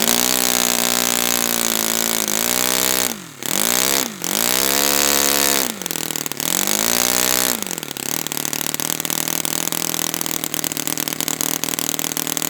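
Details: Brand-new Saito FA-100T twin on a test stand, first break-in run after choke priming: catches, revs sag and recover a few times, then settles into a steady buzzy run; mixture rich with oily exhaust, not lean.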